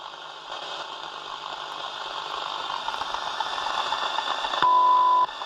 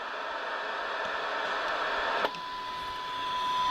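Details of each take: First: Soundesign 2422 radio on a 6 V supply; hissy static then a test tone that suddenly cuts out when touched, intermittent dropout near a transistor suspected faulty. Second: Soundesign 2422 AM/FM radio, the better-performing comparison unit on a 6 V supply with a signal generator on AM; hiss gives way to a clear, steady tone well above the noise; the IF stage passes signal properly.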